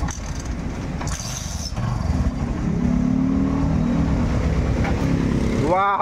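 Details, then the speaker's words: Kawasaki Barako 175 single-cylinder motorcycle after repair of transmission gears with two broken teeth and damaged clutch housing, fresh oil added; smooth steady low drone, no knocking or gear whine, now quiet; normal running. "tahimik na. Ayan, tahimik na."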